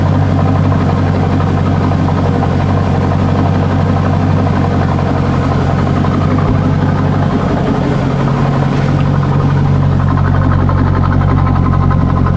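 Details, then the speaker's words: C5 Corvette V8 raised on a lift with the exhaust cut off ahead of the mufflers, heard in a garage: a loud, raw, echoey idle with a harsh open rumble and lumpy bark, like open headers. Exhaust leak before the mufflers. "Just being totally honest, that's a little bit too much bark for what this is. Okay, so I don't really, it just didn't quite sound the way I'd liked. It sounded too unrefined, really."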